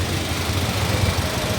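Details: Mitsubishi Xpander after no-crank no-start repair: loose wiring connection and faulty starter relay (no supply to starter) fixed, battery reading 12.6 V; short smooth steady idle with even low hum, no knocks, stumbles or starter noise.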